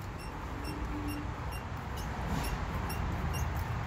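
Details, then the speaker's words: Toyota FJ Cruiser, body rocked by pressing on hood: sharp high chirps about three a second like a low-battery smoke alarm, from a dry front shock absorber rubber bushing, fixed with silicone lubricant. "it's the bushing of the shock in the front here this rubber part here tends to get dry at least in my in my fj and i always end up having to give it a couple squirts of lubricant just to kind of get get rid of that squeak"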